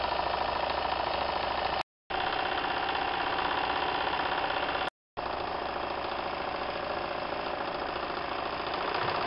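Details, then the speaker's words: Märklin 4097 small steam engine, fitted with a new longer-stroke crank after the old one failed, now warmed up: quick, light, even chuffing with no knock or rattle. It runs perfectly and very quietly. "you can see the engine runs perfectly and now the engine has warmed up and you can hear that the machine is actually running very very quiet"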